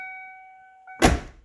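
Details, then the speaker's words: 1990–1997 Lincoln Town Car door with a replacement striker bolt and bushing: a single solid thunk as it closes and latches easily, with no rattle or double clunk. "see that how effortlessly it is that's your typical Ford Lincoln Mercury door this door Striker bolt broke several years ago and I put a new one on with the bushing"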